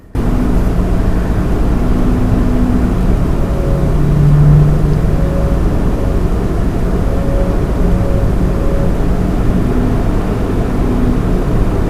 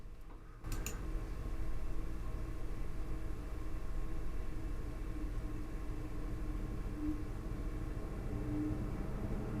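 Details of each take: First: Lian Li 217 INF PC case with stock fans: steady low hum with faint ringing tones persisting even at 10% fan speed, case panels resonating with the fans; cannot be eliminated by any fan setting. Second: Lian Li 217 INF PC case, CPU radiator fans at 100%: steady soft rush of air through the radiator with no whine or high-pitched tone; normal fan airflow.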